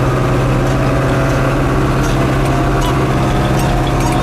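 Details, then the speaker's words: 1990 410C backhoe diesel in fourth (road) gear crossing a field: deep, steady drone pulling evenly, no misses, knocks or odd noises, and no smoke; running normally under load. "It all rolls good, sounds good. Again, no smoke."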